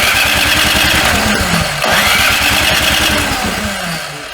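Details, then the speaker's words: Snowblower cranks with an even chuff, about three beats a second, after priming but never fires, a crank-no-start; the suspected fix is draining the fuel and cleaning the carburetor, not confirmed. "Some of these snow blowers digit they just don't start to prime them And Nothing happens"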